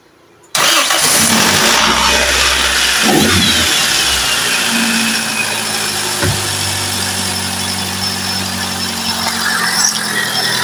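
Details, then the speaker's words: Toyota Soluna with a 1,500 cc engine, after replacing its degraded battery with a new GS battery and tightening the terminals: brief crank, then it catches at once and settles into a smooth, even idle; starts easily. "เครื่องิสตาร์ทติดง่ายนะครับเครื่องนี้อสุดยอดเลยนะ"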